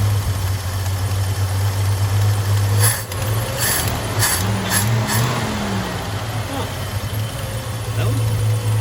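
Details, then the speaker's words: 1978 Chevy C10 half-ton long bed, straight-six, automatic: after pulling the fuel filter and gaskets, the restarted engine gives a low, steady idle hum that holds speed without sagging or stumbling, no longer bogging down like before; normal idle. "Fuel pump must have carried fuel up to it, so that's good. Let's see if it bogs down like before."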